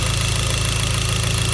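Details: Hyundai Genesis 2.0T at idle: deep steady metallic knock in time with the engine; spun rod bearing after poorly made oil pump failed lubrication, with no oil light, pressure warning or limp mode.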